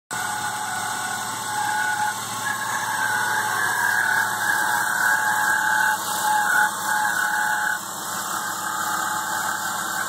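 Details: BMW E36 M3 running: steady high whine from the belt drive; replacing the alternator did not help, replacing the main tensioner and idler pulley cured it, and the removed pulley bearing felt very rough by hand.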